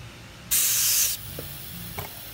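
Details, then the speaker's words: Briggs & Stratton Quantum lawn mower fuel cap, tightened with the tank pressurized: a sharp brief hiss of air escaping through the cap shows the cap is venting normally. "I don't know if you can hear it but it's breathe it's escaping out this cap"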